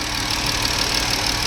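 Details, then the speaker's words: 2017 Jeep 3.6 V6 after rocker arm, oil cooler, spark plug and coil pack replacement: short steady idle, even level, no ticking or knocking; normal. "that's how you get it done take the time effort and patience no smoking no leaking no ticking good in my book"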